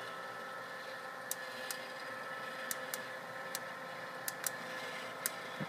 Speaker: And we're now waiting for a second crack, which is a little more violent. You can hear it starting there. That's typical of second crack.